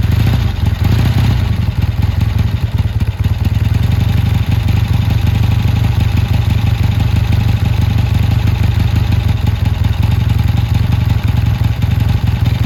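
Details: Triumph T140 twin running after new carbs fitted (spark plug had been oily); strong, even twin-cylinder beat with steady low thump, no misfire or rattle; running cleanly, owner says better than ever.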